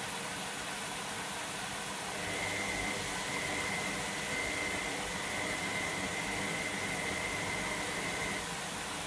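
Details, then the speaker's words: Electra AWF683 washing machine on Boilwash 95 with prewash, washing towels: strong rushing hiss with a thin, steady high whistle as water fills quickly. A normal, healthy fill. "God, it fills up quick. Yeah, it does."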